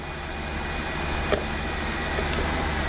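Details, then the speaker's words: BMW 735i E65, started with a booster after a flat battery, after replacing both drive belts and one lower tensioner/idler pulley that cured a horrible squeal: smooth, even running hum with no squeal or chirp. Engine running normally; 430 stored fault codes remain. "mais on a changé les 2 courroies et le bruit il a disparu parce qu'il y avait le couinement horrible, tu connais toi. Et là il a l'air de fermer sa gueule."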